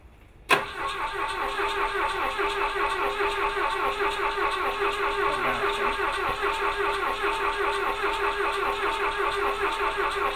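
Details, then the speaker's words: Vintage car cranking after coil and distributor timing work: steady, even starter cranking at about 75 beats a minute, never catches; coil suspected, priming fuel and a coil swap next. "Okay, stop. I had one flash and then it stopped."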